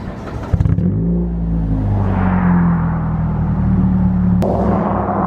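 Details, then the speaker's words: Girlfriend's straight-piped car, recorded from inside the cabin where it seems not that bad, though outside it sounds terrible; deep, loud unmuffled rumble swells with each rev and stays raw at steady throttle. "it honestly doesn't sound like that bad in here I don't know how it sounds like camera in here"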